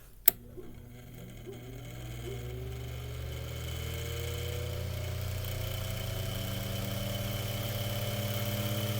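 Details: Mainstays 9-inch high velocity fan after cleaning, oiling and blade balancing, mic moved closer for the startup sound; a click, then a smooth hum rising in pitch as the motor spins up to high and settles evenly; healthy.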